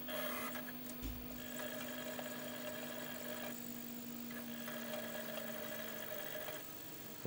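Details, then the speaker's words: Sega Saturn after cleaning, disc now spins freely with steady whirr but drive keeps hunting and seeking; weak laser, adjustment planned next. "sound too good but still having a bit of trouble reading it"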